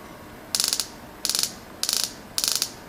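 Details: Bench test of an Early Bronco Megasquirt EMS-PRO Holley TBI conversion, with the distributor spun by hand to simulate a running engine. Short bursts of rapid clicking about every half second over a faint hum: spark present, fuel pump running and injectors pulsing normally.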